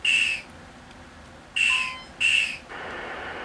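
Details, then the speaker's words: 1980 Midway Space Invaders Deluxe sound board after replacing all sockets and amps; three short shrill warbling bursts then a flat hiss. The invader hit sound is still wrong, while the saucer hit sound now works. "The invader hit sound is not correct."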